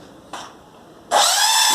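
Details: Epson L210/L310/L355 printer at start-up, the head reaching its working position with all lights flashing: a brief click, then a harsh high grinding squeal from the carriage, caused by a belt tensioner out of position.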